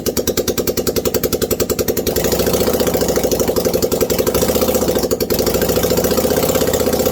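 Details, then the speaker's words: 1989 Yamaha Virago 535 after 4 years parked, no exhaust fitted, choke on: loud, sharp open-port popping about three to four pulses a second, firming up as a little throttle is added; running normally. "There's no exhaust, so this could be allowed. Or not start at all."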